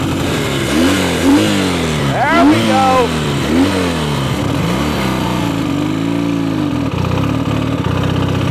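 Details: Revived abandoned Honda Dream motorcycle with a small single-cylinder engine, running for a ride: revs up and settles repeatedly, picking up cleanly each time with no misses; runs pretty good, healthy.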